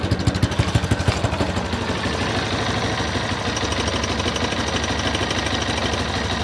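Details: Yamaha XTZ Lander 250 single-cylinder: uneven pulsing beat at first, then a steady thrum with a light rattle; unusual engine noise, source unclear.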